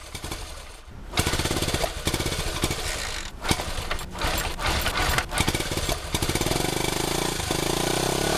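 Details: 1971 Honda CT90 single after reassembly and carb cleaning, ignition timing and valve clearance good; fires up and runs ragged, revs hunting and stumbling; owner suspects remaining carburetor issue.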